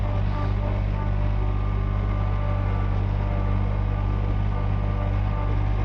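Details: John Deere 1445 with freshly rebuilt Yanmar 3TMV88 three-cylinder diesel, first start, smoke cleared after 20-30 minutes: smooth constant drone at mid throttle, no knocking or misfire; running normally and timed correctly.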